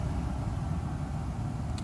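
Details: Mercedes S600 W140, first start after a throttle body overhaul, no EML or ABS lights; fuel pressure regulator suspected as cause of poor initial starts; smooth, even rumble with no stumble; normal engine running.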